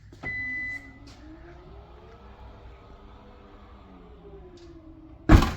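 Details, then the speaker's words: 2016 Kia Sorento power liftgate after replacing the tailgate latch and actuator, height reset to fully extended: a smooth, even motor hum for about five seconds, then one solid latch thump. The liftgate closes normally. "it comes down just like it's supposed [Music] to and goes back up like it's supposed to making everybody happy"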